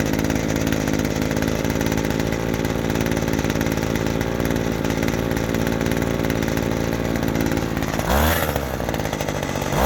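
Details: Vintage 1990s Weed Eater GHT-22 two-stroke hedge trimmer, 22-inch cutter, revived after fuel line and filter work and fresh fuel: steady high buzz with a crisp rev-up near the end. Normal running.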